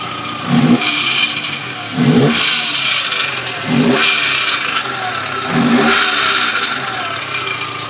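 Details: VW Jetta Mk4 2.0 petrol, door open: four revs, each followed by a tinny, buzzing rattle, plus an obvious exhaust leak and a burnt-wood or campfire smell; cause of the rattle unknown.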